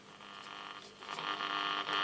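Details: Tela Verta 54A (Aristone) valve radio, circa 1946-48, brought up on a variac: harsh buzzing hum climbs with power; speaker wired directly to the 6V6 output valve with no output transformer, causing hum and distorted buzz.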